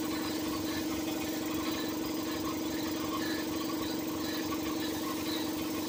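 Steady droning hum with a faint uneven pulsing over a smooth idling engine; the A/C compressor is making an abnormal noise.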